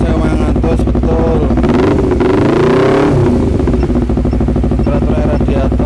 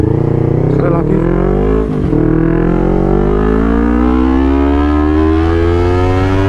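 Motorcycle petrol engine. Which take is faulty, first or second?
first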